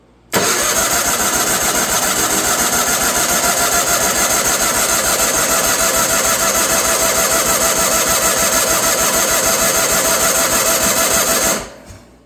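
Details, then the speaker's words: Wheel Horse 416 Hydro with 16 hp engine, sat outside two years, fuel filter pulled and its end put in a water bottle to test the pump: eleven seconds of steady cranking at about three turns a second, never catches; pump is delivering fuel. "now I'm just going to stick the end of this filter in a water bottle and we'll crank her over and we'll see if it's pumping"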